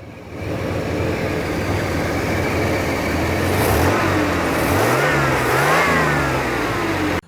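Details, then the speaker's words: 1991 GMC Sonoma 4.3 after swapping bad-running TBI fuel injection to a carburetor: steady, even running with clean rev rises and falls returning smoothly, no stumbling; runs much better. "but I'll start it up for you that way you can hear it that door is noisy the other runs great runs so much better"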